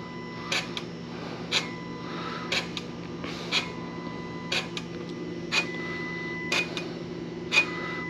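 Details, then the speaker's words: Vehicle in limp mode: wastegate actuator strokes freely with a steady soft whirr-click about once per second over a quiet engine hum. Signal swings 4 to 1.7; failure suspected only when hot. Sounds normal. "we'll stop it sounds like it's moving fine to me i'm not here to see any issue"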